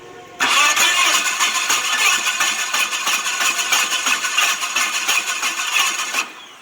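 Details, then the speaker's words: Yale forklift with Mazda FE engine cranking: the starter turns about three beats per second with an uneven, light rhythm, indicating low compression on multiple cylinders. Timing belt looked fine, so carbon on the intake valves is suspected of preventing seating. "So just from the sound, I'm thinking that it's losing compression, not just on one, but multiple cylinders."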